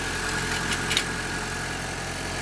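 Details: Honda Civic at idle after replacing the worn belt tensioner bearing and idler bearing; smooth, even idle hum with a faint steady tone, no squeal or rumble from the belt pulleys. Bearing noise gone, normal idle.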